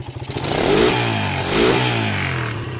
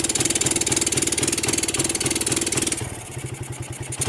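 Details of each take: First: Suzuki Satria motorcycle with battery connected, before modification: engine blips twice to high revs at full throttle and drops back cleanly with no hesitation; normal revving (with battery removed it won't rev; Denso CDI involved). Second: Suzuki Satria with battery connected, throttled fully to the limiter; small single idles crisply, climbs cleanly through two blips and drops back evenly, revving normally. Problem: it won't rev when the battery is disconnected.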